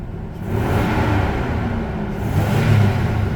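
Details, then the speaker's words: 1990 Toyota Pickup/Hilux 22RE after engine reassembly, revved then idling: low, lumpy idle that rises and sags unevenly; owner attributes the rough idle to a bad temperature sensor and plans to replace it. "yeah see this is what a bad temp sensor does you guys hear the difference in idle between the last clip"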